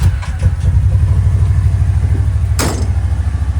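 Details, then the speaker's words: 2023 Kawasaki Teryx 800 4 S SE side-by-side on stock factory exhaust, before fitting a performance exhaust tip: fires up easily into a low, even thumping idle with no misses or knocks; normal idle. "always fires up easy so nice fairly mow"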